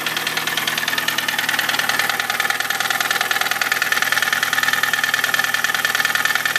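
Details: VW Cabrio engine at idle: even tapping knock about two beats a second with a faint whine; knocking noise, source unclear.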